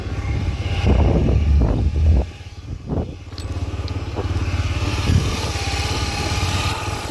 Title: cb 300 barulho no motor